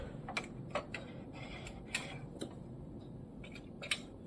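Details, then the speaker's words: Canon MAXIFY GX4070 printer just after startup, paper fed into the ADF: scattered light clicks in a quiet room but no detection beep; the ADF fails to detect paper for 8 to 16 minutes after power-on. "You can hear the clicking, but you can't hear the beep."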